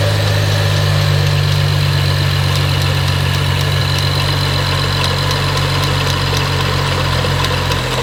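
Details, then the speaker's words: Once-wrecked BMW 335i after its AC compressor belt shredding was fixed: at start-up, light, sharp, unevenly spaced ticking at roughly four per second over a steady idle; the owner is unsure whether it comes from the engine. "So the thing is, when I start the car, I hear this click, click, click, click, and now I'm freaking out because I'm thinking maybe it comes from the engine, or maybe it doesn't."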